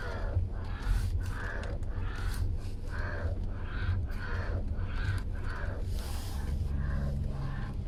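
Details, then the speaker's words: 2019 Hyundai Kona OS 2.0-litre, about 25K on the clock, wheel rocked back and forth at idle: dry groaning creak about every half second from low in the steering column; very likely a faulty steering column assembly needing replacement. "it was very evident that was coming from the steering column assembly it was lower down than the steering wheel itself"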